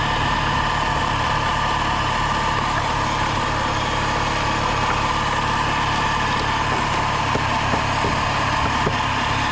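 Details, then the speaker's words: Car at idle after sitting in the cold with a dead battery: steady idle with a faint uneven low shudder under a hum and crackle. The driver says it has a misfire and shakes. "Oh, so it has a misfire. Yeah. Gotcha. So it like shakes off."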